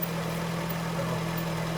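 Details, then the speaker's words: 2013 Honda Fit at about 183,000 miles idling after the catalytic converter-to-resonator gasket replacement and flange straightening: steady, even low hum with no puffing or ticking, exhaust now sealed and much quieter, normal. "I'm happy okay so here's the finished product see it's 301. much quieter it's normal we're good to go"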